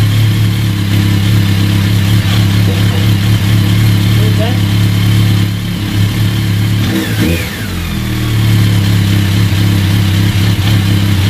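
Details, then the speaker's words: BMW K1200 four-cylinder motorcycle at 59,000 miles, warm idle: light uneven chatter over the hum, a rattly clutch, probably the worn crush drive in the back of the clutch basket; throttle bodies slightly out of balance. "so you've got a rattly clutch it's probably the the actual the basket the main bit of the basket with the crushed drive assembly"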